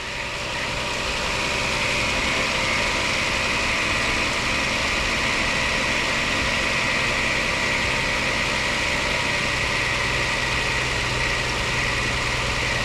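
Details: IS300 with 2JZ engine, first start after fresh Castrol oil and filter, bell housing dust cover had been sucked into flywheel: steady even idle hum and hiss, no knocks or misses; running smoothly, only power steering leaking.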